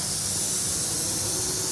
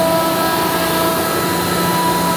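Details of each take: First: Ingersoll Rand SSR-EP60 60 hp rotary screw compressor, 98,485 run hours, with pressure already in the system (tank about 85 PSI): steady, hard, high-pitched hiss from loose fittings on the line; compressed air leak. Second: Ingersoll Rand SSR-EP60 60HP air-cooled rotary screw compressor, 98,485 run hours, set to modulate, tank at about 85 PSI, covers off: steady even drone and constant hum, no knocking, rattling or surging; healthy under load.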